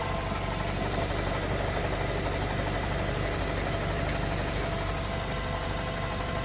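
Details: Mk7.5 Golf R petrol engine on cold start idle: fast, dull ticking knock, possibly cam chatter, under a slightly rough diesel-like clatter; engine knocking, cause suspected, not confirmed.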